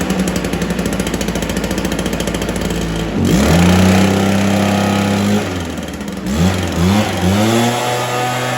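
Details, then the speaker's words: Stihl BR430 two-stroke blower started after a spark plug boot fix, with choke on and primed, after sitting an unknown time: ragged run, surging revs, won't settle to idle. Rough running; sounds like it wants to run with choke on. "sounds like it wants to run with a choke on"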